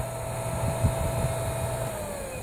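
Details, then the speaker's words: Meyer water pump, about 1.5 hp, after repairing the broken cover over the centrifugal switch: smooth even motor hum with steady whine, starts without needing to push the cover; normal running after repair. "de la desconectó vuelvo y la conectó para que tú veas mira como enciende no necesito no necesite hacerle fuerza"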